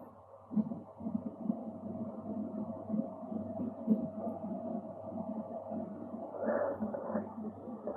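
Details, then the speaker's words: New Meaco Arete One 20L dehumidifier switched on for the first time, apparently on full power, room 21.8°C: quiet steady hum with faint constant thin tone over it; coil whine. "So I'm gonna turn it up the very first time. Oh, it's got some coil whine. You could hear it."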